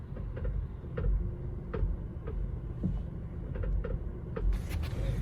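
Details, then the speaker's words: 2017 Honda Civic at idle with the steering turned to one side: irregular dull "tak tak" knocks, one or two a second. The worn steering rack assembly needs replacing. "यह आपने स्टयरिंग एक side को turn कर ली है। यह आपको आवाज आ रही होगी। यह टक टक टक टक की आवाज है।"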